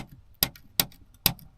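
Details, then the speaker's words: 2026 Honda HR-V EX-L, panel removed with a trim tool: loose plastic trim clips give crisp clicks about every 0.4 s when touched, rattling in their mounts; the fix is felt/cloth tape. "So, those just sit in there. If they're loose, they kind of just rattle around. Just garbage plastic."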